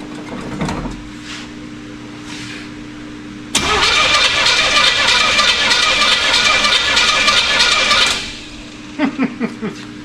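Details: Chevy K10 with newly rebuilt V8 and tube headers, first start: long loud crank of about four seconds at a steady churn, then a few weak coughs without catching; slow to start, header leaking at flange, possible crossed wire.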